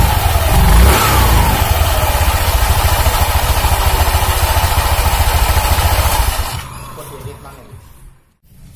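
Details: 2019 Honda Vario 150 scooter, nearly new, whose CVT growled roughly when pushed and running: after the CVT fix it has an even, low pulsing drone without the harsh rattle. Smoother now, though slight noise remains.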